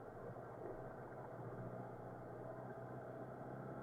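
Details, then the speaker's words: 1986 Honda GL1200 Goldwing, partly warmed and not yet at operating temperature, on a little choke: quiet, steady, even low-pitched purr with no stumbles or hunting; normal cold idle. "okay not optimal temperature yet but I did put some warmth in it and we'll run a little tiny choke for now until she gets warmed up"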